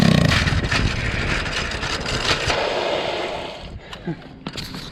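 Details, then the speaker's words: 212cc doodlebug small engine running under an uneven scraping clatter that fades as it coasts down; the drive chain keeps popping off a misaligned sprocket and needs realigning. "Yeah, something ain't right with this shit. Chain keeps popping off. Yeah, I gotta realign it, get way better."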